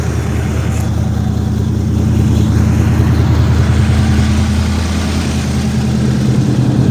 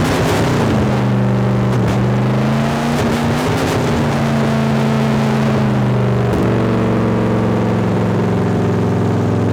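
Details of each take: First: 1972 Chevelle rescued from a field, V8, after a fuel pump wire repair: deep, even idle with a steady low burble and no misses or surges, running beyond the squirt of gas; alternator gives 14 V, oil pressure 50 psi. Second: 1972 Chevrolet Chevelle V8 rescued from farm field, first start: roars at steady high speed and never drops to idle, throttle stuck open and not returning; fuel pump issue also pending.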